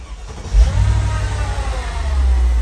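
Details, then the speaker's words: Mercedes SL55 AMG, supercharged M113K V8, after idling off belt slip caused by ABC fluid on the belt following a power steering pump install: deep, even idle with no squeal or chirp, normal idle. "There we go. Now, that's what a supercharged V8 is supposed to sound like. Nice and smooth."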